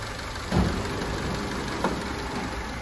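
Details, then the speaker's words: Opel Corsa D with the Z12XE engine, after repairing an overheat-cracked cylinder head, antifreeze refilled and the cooling system working well: steady, even idle with a smooth low hum and no knocking or ticking; normal idle. "the cooling system is working very well , the antifreeze is filled, our car is OK, everything is OK"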